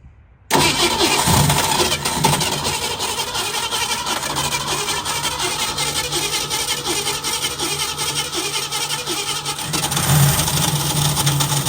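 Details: 1965 Ford Mustang V8 project car, first idle right after the carburetor rebuild and fuel pump priming: uneven idle with a light tick riding on top; owner hopes it is just a fussy lifter, not confirmed.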